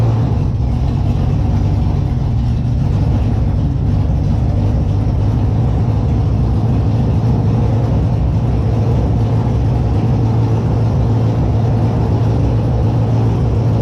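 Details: Holden Monaro engine just reassembled with a new Crower cam (217/226, 114), running on open headers not joined to the exhaust at first start; loud, deep, steady V8 rumble with an even choppy lope, no knocks or misses; normal cammed idle.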